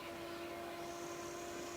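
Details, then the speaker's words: 1996 Melex 512G gas-powered golf cart: cooling fan running with a steady whirring hum, constant tones and an even airy rush, no wobble or scraping. Engine temperature normally rises to about 100° with the fan running. Normal cooling fan. "normally the engine temperature will go up to maybe 100° or so with that fan running for"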